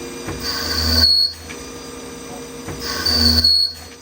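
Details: CNC lathe threading a Tikka 22 Creedmoor barrel at 1,000 RPM, 20 passes then a skim pass: each pass carries a thin high ringing squeal for about a second over spindle hum; light threading chatter, judged not a big deal.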